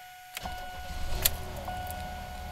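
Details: 1991 Buick LeSabre 3800 V6, after cleaning an electrical connector to fix occasional stalling: the engine catches quickly and settles into a quiet, steady idle without stumbling; a clean, healthy start.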